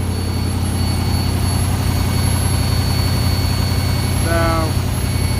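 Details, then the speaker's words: 1974 Ford F250 High Boy with Sniper EFI, warming up after cold start: thin steady high whistle over deep even V8 idle from the fuel return side; owner suspects fuel restriction, unconfirmed. "Okay guys, we're going to walk up, but it gets kind of loud, and we can really hear the whistling now."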